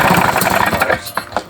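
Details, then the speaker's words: Paramotor two-stroke during run-in, exhaust earlier rattled loose: fast buzz with a harsh metallic chatter, dying off at shutdown. A loose cylinder barrel is suspected. Loose cylinder rattle. "it sounds like some loose loose there oh do that again what is it the whole barrels come loose isn't it"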